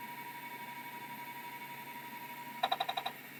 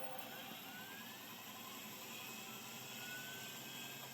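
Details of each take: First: Early Seagate ST251 hard drive on test: quiet, steady spindle whine with no grinding, then a quick burst of about seven head clicks; spindle bearings healthy, though it doesn't find tracking marks. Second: Vintage hard drive, possibly Seagate ST137R, on test: faint rising spin-up whine with irregular light head ticking; it seems to start seeking before fully spun up, though it may have passed its seek test.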